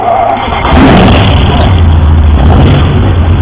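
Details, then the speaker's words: Rebuilt Jaguar Ronart XJS V12 (new valves, guides, seats, big-end shells, polished crank) on test bed at normal working temperature, about 150°F: deep, steady, even idle with no top-end ticking; tappets now quiet, good oil pressure, carburetors not yet set up. "Okay, so as you can hear, the tappets are now nice and quiet. There's also good oil pressure on it, even though the temperature is currently at 150 degrees Fahrenheit."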